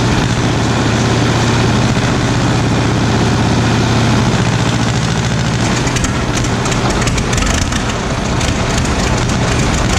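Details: 1936 Caterpillar RD7 crawler, first start since its seized, water-contaminated starting engine was rebuilt from parts units: loud, steady low diesel rumble, even beat, no knocking or misfire after starting; normal running.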